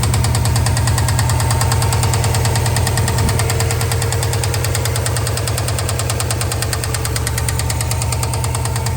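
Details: 2003 Subaru Impreza WRX NB (TA-GDA) EJ205, 5MT, 153,519 km, after turbo overhaul and A/C compressor noise: deep steady knock about three per second low in the engine at idle; No. 3 bearing suspected, unconfirmed.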